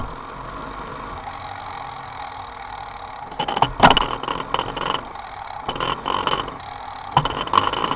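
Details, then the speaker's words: Bike on a Directo XR trainer with Dura Ace rear derailleur, Ultegra chain and straight hanger: steady whir gives way to rough, irregular grinding and clicks from the Sunrace cassette, only on the 23T cog. "The noise is only on gear number 23 tooth."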